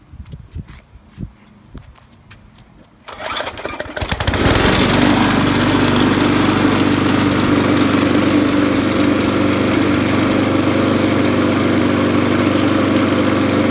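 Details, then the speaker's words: Murray 22-inch mower deck with Poulan Pro Briggs & Stratton 5.50 engine: pull-start, then steady single-cylinder run with coarse shaking rumble at running speed; blade out of balance. "as you can hear it's that that it shakes a lot that's the blade out of balance"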